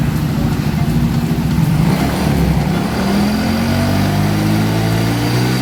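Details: Yamaha Soul GT scooter with battery overcharging to 15V, error code 46 and stuttering on throttle; faulty regulator rectifier replaced with a temporary spare. Idles evenly and revs up cleanly with smoothly rising pitch, now running properly.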